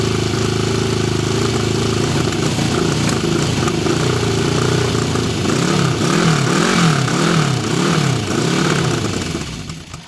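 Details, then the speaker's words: 1974 Honda CB750 Four: an even four-cylinder idle rising into smooth revs and dropping back, with no ticking, knocking, piston slap or valvetrain noise. The engine is healthy and runs better once warm. "Motor sounds good with no ticking, no knocks. Can't hear any piston slap, any valve train noise."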